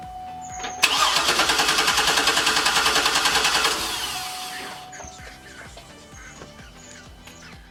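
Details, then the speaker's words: 2008 Hummer H2 with codes P0230 and U0109 and no communication with the fuel pump control module: starter churns evenly, about 3.5 turns a second for several seconds, and never catches. Crank no-start from a failed fuel pump control module. "As you've seen it, cranks it, but it does not start."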